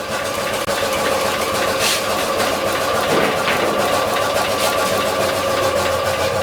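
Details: Carbureted 2003 VAZ-2107 petrol engine, 91,000 km on the odometer, idling with hard, uneven knocking and metallic rattle after a ring and bearing replacement. New chain, tensioner and guide were fitted and the guide is intact; cause lies deeper in the engine.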